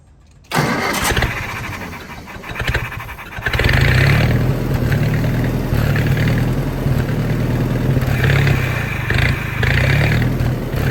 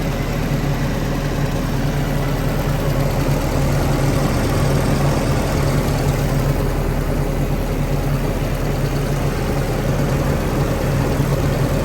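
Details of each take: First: Old Army skid generator with Willys engine and aftermarket electric fuel pump: cranks, catches and runs rough and uneven only on a carburetor prime; owner suspects the carburetor is blocked, starving fuel. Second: Willys-powered 120/240V 52 A Army skid generator, no load, good oil pressure, coolant low: deep steady drone holding even idle, no knocking or stumbling, no smoke; normal running.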